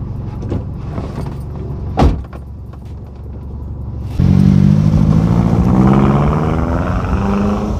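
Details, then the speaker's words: 2008 Mazdaspeed 3 GT with a FWD 2.3 MZR turbo and a factory exhaust with the second cat and the muffler deleted; deep throaty rumble at idle, then a sharp rev brings a louder, raspier growl, running fine. "so it's like a it's a really nice Rumble it's a factory exhaust with deleted uh with the second cat deleted and a muffler delete"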